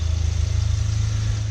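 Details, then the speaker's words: Volkswagen MK7 running at a steady, smooth low idle with an even quick pulse and no knocks or misses, heard right after an oil and filter change with new filter, O-ring and cap and no leaks seen; normal idle. "You can hear the car's running pretty good right now. I'm gonna let it run for a little bit, let it idle."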